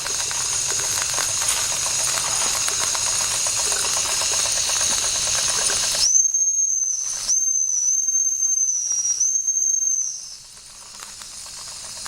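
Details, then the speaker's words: 1992 Wilesco D400 live steam toy tractor, limited edition no. 447 of 600, after a fix and first firing up: a hiss of escaping steam, then a high, steady whistle tone in short blasts as it runs normally. "well well well look at that it runs cool"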